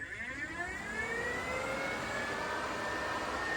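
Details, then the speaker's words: Turbo VR6: a newly wired electric cooling fan switched on by the relay test button gives a steady airy whoosh with a faint rising hum settling to an even pitch; the fan runs normally. "Listen to that chop. Got that, man. Running."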